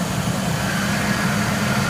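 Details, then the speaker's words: 2003 Lincoln Navigator V8, about 220k miles, after EGR valve replacement with the upper intake removed: steady, even low idle with no misses, knocks or hunting, about ten times smoother than before. "Got it started up. Smooth again. Very smooth. I don't know if you can hear how smooth that idle is, but 10 times smoother."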